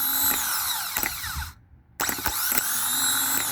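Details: New starter motor bench-tested with jumper pack before installing in truck (old one barely turned): high-pitched electric whir spins up, cuts briefly, spins freely again; normal starter operation, no grinding.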